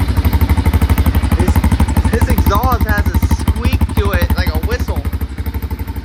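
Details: 2005 Can-Am DS650 quad, bought for $1000, start after fuel on reserve and oil primed until oil light went out: single-cylinder thump about three beats a second with a wavering high squeak over it; a whistle from the exhaust, cause unclear.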